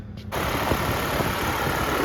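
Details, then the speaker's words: GMC Canyon after serpentine belt and tensioner replacement, belt rerouted after slipping off near the power steering pump: engine starts and settles into a steady, quiet idle with no belt squealing or chirp. "no more belt squealing the belt never came off so that's a good thing"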